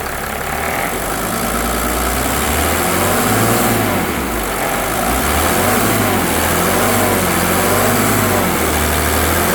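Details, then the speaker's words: 1987 Mercedes 300SDL W126 OM603 diesel near the end of a diesel purge: steady, even idle with only a soft clatter and no harsh knocking; it runs smoothly and sounds healthy. "Listen to the way this thing runs. It's sounding amazing."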